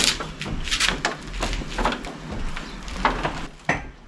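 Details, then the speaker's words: Classic car rocked back and forth in gear to load the engine and transmission: dull hollow clunks, a deeper bell-like ring; owner suspects driver's side CV joint, ball joint or steering/suspension, engine mount ruled out, source still unknown. "Ah, there it was. Yeah, it's more like a deeper kind of a bell ring."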